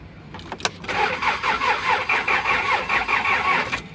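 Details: Kia Sorento D4CB engine cranks steadily at about 2.5 turns a second but never fires, crank no-start; codes P1183, P0263, P0272 (cylinder injector circuit balance); cause suspected, not confirmed.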